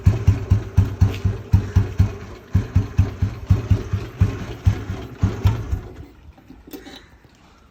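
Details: Royal Enfield Bullet (1974 or 1997 bike) single-cylinder after complete rebuild: deep, even thump at slow idle, steady and clean with no knocking, before the engine dies away; runs fine.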